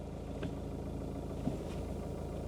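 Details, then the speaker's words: 17-year-old VW Passat idling with the clutch pressed to check for dual-mass flywheel rattle: a low, quiet, steady rumble with no clatter. Normal idle, no flywheel rattle. "h no it's all right actually that it's low but it's not rattling yeah works"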